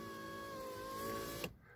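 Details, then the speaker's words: VAZ 2115 power window after cleaning the seal channel and applying silicone: steady motor hum with even tone through travel, clean stop, no squeak or rubbing; the extraneous noise is gone. "звук не слышно"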